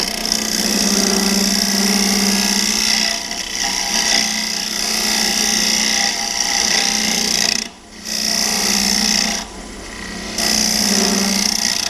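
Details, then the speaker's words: Swan neck hollowing tool in a hollow form on a wood lathe: harsh, uneven rasping scrape with high hiss and pauses; the tool shakes and chatters running over chips packed in the cavity. "It kind of starts shaking and you know that all you're really doing is running over chips."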